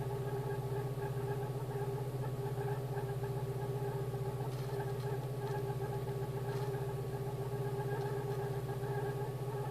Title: Polo CL (86C), AAU, Hallgeber war defekt, Motorgeräusch nach Reparatur